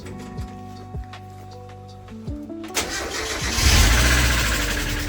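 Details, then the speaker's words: £700 Mazda MX-5, first start after a wiring repair and before an oil change with lifter treatment: a quick light tick about four a second over idle after catching, worse than last time; noisy hydraulic lifter after long storage. "Yeah, you can hear the lifter tick. Worse this time, but last time it went when you can still hear it a bit, but I'm sure with fresh oil and the wind stuff it should be alright."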